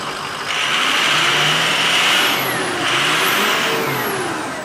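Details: Ford Powerstroke diesel after replacing a torn boost tube boot: two revs with rising turbo whistle and hiss swelling and settling back; checking for boost leak, sounds healthy.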